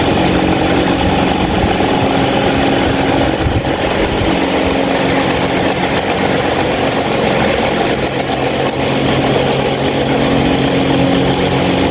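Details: 26-inch stand fan running abnormally loud: steady hum with buzzing drone and constant rattle over whooshing air; cause not identified.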